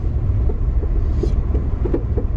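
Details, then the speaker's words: 2012+ Chevy Sonic/Cruze driven over rough road testing a front suspension noise, mostly on the right side: irregular dull knocks and pops over steady road rumble. "Okay, so I can hear that little sound on this side here. There you go. Right there."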